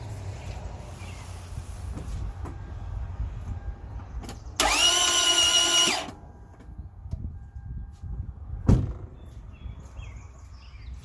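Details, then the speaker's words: 2008 Toyota Camry that stopped while driving and won't start, oil light seen on the trip, oil low, valve cover off: fast even crank with starter whine and no compression beats; timing chain intact and cams turn, slipped timing or spun keyway suspected. "The cams do turn, but seeing as there's no compression, it's possible that something slipped, the keyway spun or something like that."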